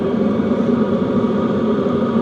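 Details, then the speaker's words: Hcalory TB2S Plus tent heater about 2 min 23 s after clicking started, heating up fast: a steady, even whoosh and low rumble from blower and burner with no surging or knocking. It is running normally. "We're at 2 minutes and 23 seconds from the time that it started clicking to where it's heating right now. It's heating up in a hurry."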